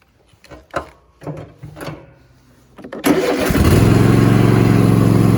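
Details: Cub Cadet riding lawnmower started right after a fuel filter change: a few clunks, then it cranks, catches and settles into a steady, even run with no misses. Finding: normal running.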